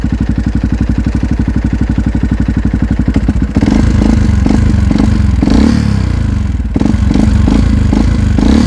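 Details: Yamaha WR125 single, after valve clearance adjustment (exhaust 0.20 mm, intake 0.10 mm) and oil change that didn't help: steady idle thump turning to rattly clatter as revs rise; knock, crankshaft bearings suspected worn.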